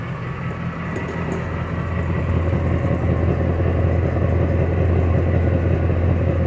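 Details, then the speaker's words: 2005 Dodge Ram 1500 with catalytic converters replaced by straight pipes, idling after exhaust-joint sealing putty was applied: deep, even V8 rumble with no ticking or puffing leaks. "Crazy as it might sound, it has sealed them up."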